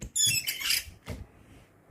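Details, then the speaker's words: Graphite-coated wiper blade on dry glass: short, high, chirpy squeal as the blade drags, then quiet; mildly noisy dry squeak, water suggested to reduce it. "I mean it's a bit noisy. It's a mild noisy when you dry. You might add water because this is noisy. It because it's a graphite coating."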